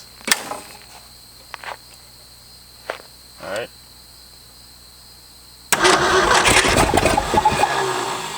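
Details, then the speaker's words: Late-60s Ford F-250, first start after 26 years, old gas in the bowls: cranking clicks, then catches with an uneven stumbling roar on only a few cylinders; suspected dry-rotted plug wires not connecting; misfire. "I'm thinking that a quite a few of them are probably deteriorate and they're not making a connection you hear it when it kicks over it's only firing on a few cylinders"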